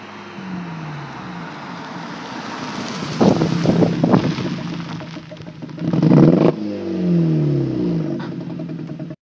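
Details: VW GTI 2.0T, Stage 2 Unitronic, turbo-back exhaust, cold air intake: choppy uneven exhaust beat stumbling on each rev blip; ignition coils 2 and 4 failed, cylinders misfiring, altered exhaust sound.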